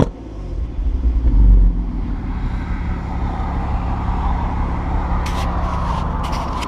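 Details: Mk5 VW Golf R32 (Copart salvage, Cat N), revved with mic near exhaust: deep rumble with chuffing leak and crackles and pops at tailpipe; exhaust off its mountings and blowing, catalytic converters stripped out.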